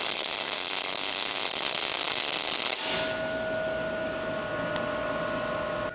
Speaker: Dial it until you hear the steady buzz. That's the zone.